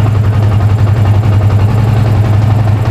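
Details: Yamaha Vixion (new) on a new battery, about 13.3 V rising to 14 V charging, after the old battery was found faulty: deep, steady low thrum at settled idle, no stumbling or dropouts.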